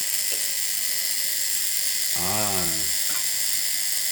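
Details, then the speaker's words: Wapa 7a high-frequency healing device after adjusting pressure, which had been too strong, checking the handle: steady, even high-pitched electric buzz and hiss without dropouts or sputter; normal healthy discharge. "this sounds nice. Oh, this worked well. Happy so far."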